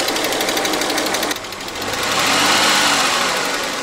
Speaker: Esta pérdida de presión en el cilindro del buzo hace que se genere un golpe al momento de accionar con la válvula y es posible detectarlo.